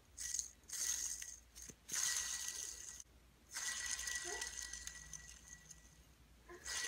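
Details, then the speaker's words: Throwout (release) bearing from a 2004 Mustang Cobra with a T56, spun by hand: dry, gritty rasp with a faint whistle because it has no grease left, heading toward metal-on-metal. "so as you can see trying to spin that with literally no grease in there okay that's what that one looks like it's it's pretty much just dry you can hear the grittiness"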